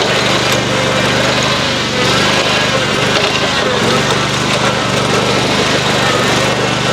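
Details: Lawn-Boy zero-turn mower after Hydro-Gear axle upgrade from 3/4" to 1" and reassembly, first fire-up: engine buzzing at steady, even speed with constant pitch, no knocks or clatter; sounds healthy.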